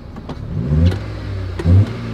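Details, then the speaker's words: Newly bought car on its first drive, in third gear at low RPM: uneven surges with short dropouts under load. Engine stumble or misfire; a dirty injector or spark plug is suspected, not confirmed. "na hora que eu coloquei uma terceira e RPM baixa el falhou pode ser bico sujo também vela assim mano"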